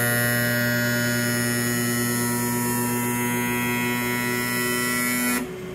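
Loud, steady buzzing hum with a sharp tone riding on top that cuts off when the motor stops; abnormal noise, cause unknown.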